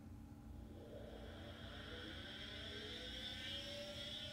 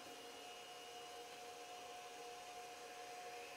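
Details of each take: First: External SCSI hard drive at power-on: a chunk, then a quiet whir climbing in pitch over a few seconds with a thin high whine, then fading; the drive spins up but never runs and doesn't work. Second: External SCSI hard drive, recorded on mono mic: loud steady high whine and rushing air as drive spins up like a jet engine; noisy but even, sounds healthy.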